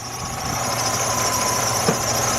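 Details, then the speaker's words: 2003 Jeep Liberty Sport idling with battery light on, hood propped open; thin steady whine from the alternator, suspected alternator charging issue, corrosion found on battery terminal. "Keep this thing up, and I actually can hear the alternator kind of whining"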